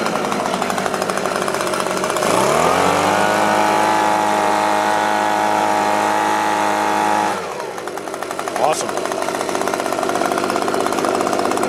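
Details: Echo leaf blower after checking fuel lines, carburettor, spark and compression, choke on at start, air filter back plate missing: two-stroke catches and holds a steady high buzzing tone for several seconds, then drops back to idle; normal running.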